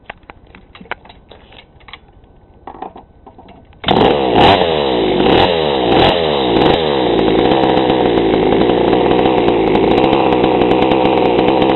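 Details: GoPed gsr40 two-stroke with 603 high-performance carb and TGN manifold, first start before low-speed adjustment: catches and burbles unevenly, then a slow, heavy idle; mixture too rich, idle too low.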